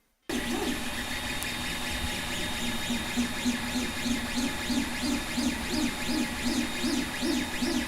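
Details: 3D printer noise test during printing: repeating rising and falling stepper-motor tones as the axes move, about three a second, with Y-axis movement especially loud. Normal motion noise.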